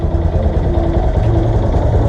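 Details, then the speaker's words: Motorcycle after repair: the stand rubbing the crankcase was fixed and the badly reassembled clutch was redone, so the earlier terrible vibration is gone. A steady, even low rumble with no knocks or rattles; normal running. "tenía una vibración terrible sé que ya está listo"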